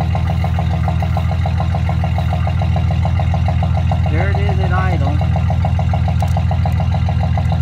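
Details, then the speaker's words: 2006 Chevy Silverado 1500 long bed, mic at tailpipe, stock welded muffler before quiet flow replacement: steady even low idle rumble, regular beat, no ticks, rattles or leaks; healthy exhaust. "so let me start it up so you can listen to the truck I'll put you back here by the tailpipe so you can get a good sound"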